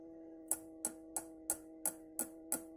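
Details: Orange Rockerverb 50 power tube tapped with the camera at the amp: seven dry taps about three a second over a steady faint hum, with no ringing or howl after them; this tube is not microphonic.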